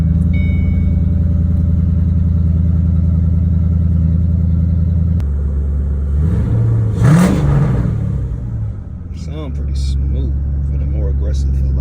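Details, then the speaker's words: 2007 Mustang GT V8 just started after loading Bama SCT tune, warming up: deep, steady burble with one quick rev blip, then settles back to even, smooth idle; fired up well, normal idle. "So I might let it start up and warm up a little bit. car actually fired up pretty good that time."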